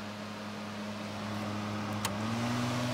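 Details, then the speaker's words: Modern turbo fan on high speed: steady loud whoosh of air with a constant low hum; running normally but very loud, its main disadvantage. "hi you can hear what in my opinion is the big disadvantage with these fans they are very loud"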